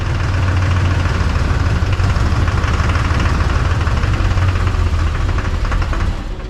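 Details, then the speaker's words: LB7 Duramax diesel project truck with new injectors, a fuel system upgrade and a new turbo. Rough, stumbling idle with sharp clatter. Misfire at idle. "like a miss, doesn't it?"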